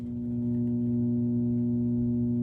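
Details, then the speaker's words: Sony TC-270 reel-to-reel deck after recapping: a steady low mains hum through the amplifier, on the right channel only and dead quiet on the left, traced to the power amp. "I thought I was done the recapping, and I thought everything was fixed, but predictably, it's not ending up that way. We've still got our hum."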